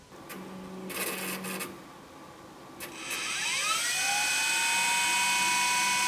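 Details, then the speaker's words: LTO-4 tape drive in a dedicated AMD Phenom X4 9600 server: a few short buzzing bursts, then a whine rises and settles into a steady tone as the tape spins up to speed; normal winding. "And there it goes. It's gonna bumble around there for a little bit."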